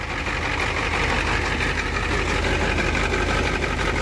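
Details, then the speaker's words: 1990 Ford F Super Duty, naturally aspirated 7.3 IDI diesel, warm, before injector replacement: uneven idle clatter with irregular stumble about three times a second, clearing up with some RPM; owner suspects leaking injectors; later found one leaking, one broken pintle; misfire. "I think this is rougher and it's supposed to be probably because the leaking injectors so you see it clears up with some RPMs"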